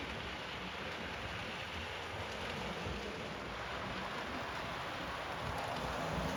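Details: Model railway train being test run over newly relaid track before ballasting: even, steady rolling hiss with faint regular clicks about four a second over the rail joints; runs smoothly, no snags.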